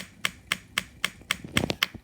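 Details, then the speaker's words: Supercharged NOS postie bike on newly powered fuel feed, ignition switched on: crisp even ticking about four per second as the electric fuel pump fills the carburetor float bowl during float level adjustment; normal pumping. "now also I turned the power on you'll see the fuel pump start"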